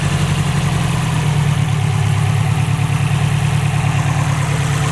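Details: Subaru STI idling after both AVCS sensors were replaced to fix an AVCS fault; deep, steady idle with even low rumble, no knocks, ticks or hunting; AVCS readings at 0, engine healthy.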